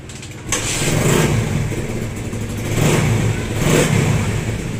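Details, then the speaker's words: Motorcycle brought in for a noisy engine, after a new timing chain and guides, original tensioner reset and damaged parts replaced: catches quickly, clean revs, no rattle or misfire; engine noise gone, idle steady, no longer misfiring. "okay na yung motor niya wala ng ingay ah maayos na yung Menor at hindi na siya palyado"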